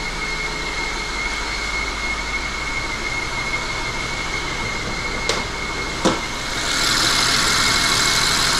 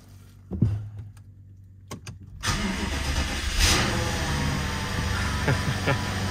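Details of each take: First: BMW 750Li with eight-speed, after transmission repair, at idle: steady high-pitched whistle over the smooth idle, louder at idle and fading when moving, seeming to come from the back; excess crankcase pressure suspected. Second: BMW 750Li first start after transmission repair, subframe reinstall and fixing a no-start: brief crank, then a smooth, even idle with no roughness or exhaust rattle, smoother and quieter than before. Normal idle.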